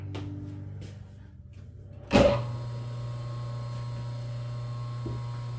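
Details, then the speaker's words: Three-phase motor on single-phase power: click, quick spin-up, then smooth even low hum; starts and runs normally, unloaded. "yeah you almost think you got a singlephase motor there just takes off and runs"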